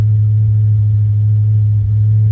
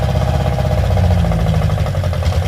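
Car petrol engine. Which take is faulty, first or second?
second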